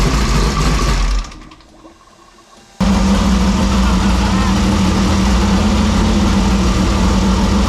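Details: 2001 Jimco Class 1 desert buggy, odd-fire Chevy V6, cold idle after oil change and rebuilt oil pump: after a brief quiet gap it settles into a steady, even lumpy idle, no ticking or knocking; healthy.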